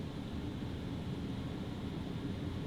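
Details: Rooftop RV air conditioner with the A/C silencer fitted ("after"): smooth, low, steady rush of airflow with no buzz or rattle; quiet normal operation.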